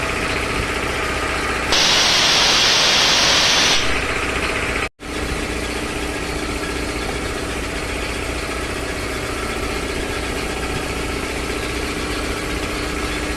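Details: 3 HP LG-model air compressor after service (belt, filter, oil indicator and oil changed): steady, regular pumping beat with a brief early hiss of released air; runs evenly without knocking, normal running.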